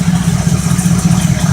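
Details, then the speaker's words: 1972 Oldsmobile 98, 455 big-block V8, cold idle just after start: fast, even, low buzz-knock at firing rhythm. It is a loose part vibrating, not a real engine knock, and the engine runs well. "all right guys this sounds like it's knocking but it's just this thing right here sinks vibrating but this thing runs really really good"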